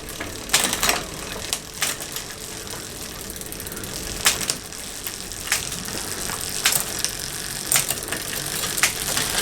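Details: Bicycle after loosening a tight chain link: steady fine ratcheting freewheel buzz with crisp clicks as gears shift; drivetrain changes cleanly, no grinding or skipping.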